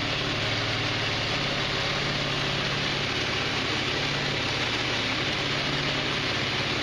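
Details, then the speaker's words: 150cc GY6 scooter (Verano 150) after a valve adjustment with panels refitted, checked for rattles: smooth, steady idle putter with no ticking, tapping or rattles. Normal, healthy idle. "Okay, just doing a final test before I completely button everything down. All I got really left is the battery cover and the seat. Checking for rattles. Sounds good."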